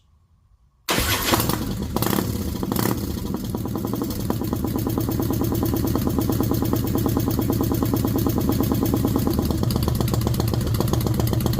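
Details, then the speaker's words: 2000 Harley-Davidson Fat Boy submerged five days in Hurricane Ian, new starter, plugs sparking, shot of gas poured into cylinders: cranks then catches into lumpy, uneven run about three beats per second; firing but rough, owner suspects timing may be off. "hey that's good sign there let me put this uh bottle back on here"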